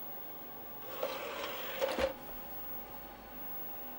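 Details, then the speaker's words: Apple Atmark Pippin console, nearly 30 years old, CD-ROM drive loading an audio CD: brief rising whir with a couple of clicks as the disc spins up, then quiet; disc detected and plays, normal spin-up. "Oh, I can hear it spinning the drive up. Oh, oh, it's detected it."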